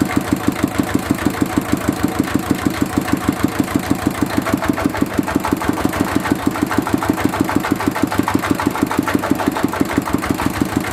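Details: Mitsubishi D-series single-cylinder diesel idling after repair of fuel leaking into the oil sump and white smoke (pump plunger, valve and seal replaced): slow, steady thump a bit over three beats a second, even firing, no misses or knocking; normal.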